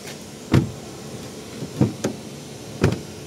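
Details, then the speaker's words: Haval M6 door closes with dull slams and a second push; it won't latch unless slammed hard, and the owner calls this a common fault on the model; the doors also creak; door not latching fully. "Пока сильно не кинешь, она не закрывается. Вот даже сейчас попытался закрыть. Пока сильно не сделаешь, ничего не закрывается."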